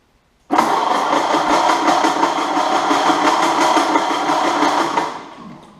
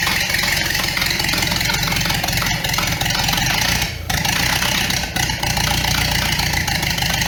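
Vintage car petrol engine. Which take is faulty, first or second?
first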